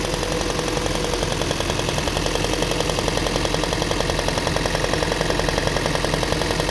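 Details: Toyota Prius (20-series) engine running steadily with a fast, fairly even tapping on top, about three per second; knock inside the engine, cause not yet found.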